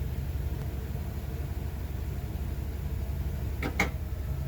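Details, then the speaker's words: Winnebago RV with 8.1 Vortec and 150 A alternator, Li-BIM225 battery isolation manager: steady engine idle, then a sharp double click as the relay connects after about 60 seconds, charging the lithium house batteries normally. "You'll hear a loud click, and you'll see the amperage start going into the house batteries."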